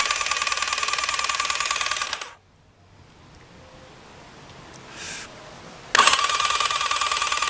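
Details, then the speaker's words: Rebuilt Thunderace engine before first start, cranked with spark plugs out to circulate oil: light, fast, even whirring spin with no compression or firing, a pause, then more spinning; normal. "so I've had it spinning over but I'm sticking the spark plugs out just to make it spin over a bit easier um if you listen to this uh so basically what I'm trying to do is I'm trying to get the oil circulated"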